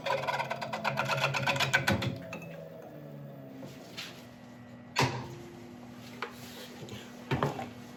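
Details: Woodturning lathe coring a large elm bowl with a McNaughton coring system, first use: rough, uneven chattering rasp over the lathe hum, fading to scattered knocks as the corer is forced and binds; sounds awful.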